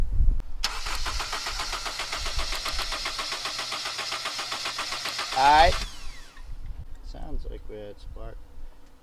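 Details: 1997–2001 Honda CR-V that cranks but won't start: steady rhythmic starter cranking for about five seconds without catching; spark reaches the coil but not through the distributor, pointing to a failed distributor cap and rotor.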